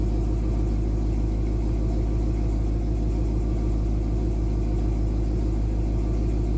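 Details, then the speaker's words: 1966 Pontiac 389 V8 after new water pump, divider plates, 180° thermostat and Hayden fan clutch, idling warm at 190 after about 20 minutes: deep, even rumble with steady lope, no knocks, ticks or squeals; healthy idle. "running 190 sitting here idling. Been running the car for about 20 minutes. I'd say that's success, wouldn't you?"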